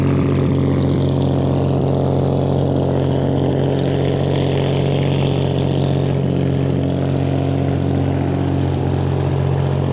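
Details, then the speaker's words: Restored 1935 Stancraft inboard, the oldest known surviving Stancraft; strong, steady low rumble with an even, fast beat and no knocks or misses. Normal high idle. "That one being a race boat, we're gonna have to actually paddle it out a little bit because it sits at about 2,000 RPM because of those intake manifolds."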